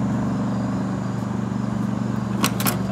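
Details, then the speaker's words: Early 1970s Sears Coldspot Viewsaver window air conditioner running, blowing cold with auto energy-saver fan speeds; rough pulsing drone from worn fan motor bearings. "Does that sound like fan motor bearings? Yep. Can't escape that one today."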